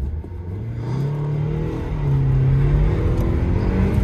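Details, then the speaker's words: 2008 Audi A4 2.0T Quattro 6-speed manual after repairs removed a thumping boxer-like noise: strong, even rising note under hard acceleration with no stumble or miss; now runs well. "pulls hard yikes oh my goodness much better much better wow this is a quick little four cylinder"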